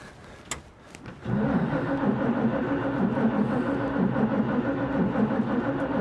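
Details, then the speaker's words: 1941 Chevy on freshly rebuilt Carter W-1 carburetor, cold garage, battery recently charged, gas poured in throat; starter churns steadily with slow compression pulses, no firing at all: cranks but no start. "I'm getting nothing. Yikes."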